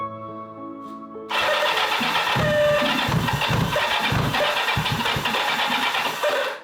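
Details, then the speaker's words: 1984 Kawasaki GPZ750 Turbo, sat unused for many years: fires after short crank into uneven but sustained idle, running on its own. "Kind of idling."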